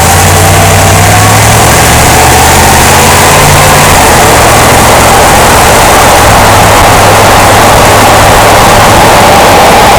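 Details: 2005 Jeep Grand Cherokee driving, loud, roughly regular thumping about four per second under a heavy road drone; caused by a worn front drive axle support rubber bushing and a bad front driveshaft U-joint, which was replaced.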